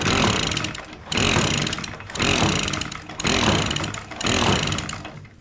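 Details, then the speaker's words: Echo PB-265L two-stroke backpack blower, covered in gas and hard to crank, surges in loud bursts about once a second, each dying away, running unevenly with a weird noise; owner suspects a sheared flywheel key. "well uhoh something just happened did you hear that weird noise that thing made a strange noise didn't it"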